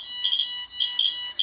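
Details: Shrill, steady electronic beeping with quick chirps from a handheld radiation meter (QSAFE vs RADEX comparison) alarming at an elevated dose rate when exposed to a source.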